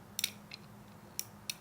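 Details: Whirlpool washer lid switch, new replacement part demonstrated out of the machine for a washer that fills but won't spin or agitate: four crisp, sharp clicks with nothing dragging between, a lid switch actuating properly.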